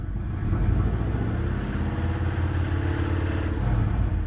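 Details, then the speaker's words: Subaru Liberty B4 twin-turbo, due for head gaskets: deep engine note swells when revved with a faint rough rattle; source not found. "And I've noticed that when I give her a bit of a rev, she makes a funny noise. I'll play a clip now."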